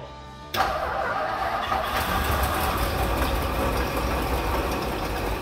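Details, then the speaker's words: 1958 Edsel Citation parked for 20+ years, first start fed from a jerry can, settles into a rough, steady idle with a constant harsh grinding rush. The water pump bearings are shot, and the exhaust is smoking from burning oil. "the water pump sounds awful the bearings are shot in it"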